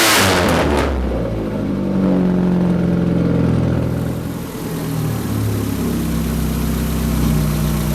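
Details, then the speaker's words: Rat rod truck first start after radiator repair, engine not yet warmed up. Catches with a rev, then settles into a loud, rough, droning idle with a deep throb that is slightly high; no leaks seen, cause of the excess noise unclear. "It's loud! Too loud! I don't know if you can hear me. That's at idle. This thing is noisy."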